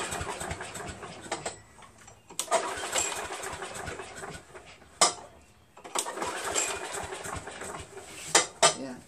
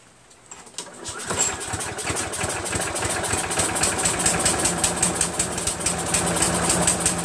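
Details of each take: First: Craftsman self-propelled vac chipper with Briggs 6.75 engine, long-sat, choke and throttle varnished: several sharp pull-cord bursts, each dying at once with no firing; crank no start, gummed carburetor starving it of fuel. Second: Craftsman vac chipper with 6.75 Briggs engine after a thorough carburetor clean and new fuel seat, auto choke connected: catches after a second of cranking and settles into a quick, steady, even beat about three per second; runs like new.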